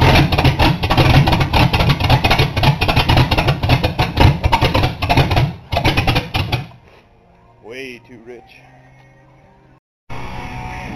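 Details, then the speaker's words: 1982 Ford Granada with vacuum gauge fitted: cranks, catches and stumbles unevenly a few seconds then dies, rich lumpy running; almost no vacuum while cranking, owner suspects blown seals, not confirmed. "I think I may have found my problem or at least part of it big part of it while I was cranking I had my back engage hooked up and I had almost no vacuum"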